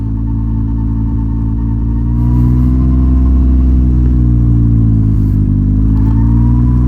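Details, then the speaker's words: Can-Am Ryker just back from 12,000-mile service: faint whine rising with speed as engine pulls up from low revs on take-off; source unclear, owner wonders if it is a belt breaking in. "H who knows maybe it's just a belt breaking in you know"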